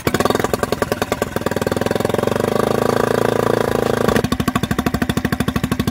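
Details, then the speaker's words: Mercury 3.5 hp four-stroke outboard after carburetor rebuild, fuel tap corrected: crisp, regular firing beats that rise briefly with throttle then settle to an even tick-over without a miss; runs healthy. "How does that sound? Woohoo! Look at that, didn't even miss a beat. First class."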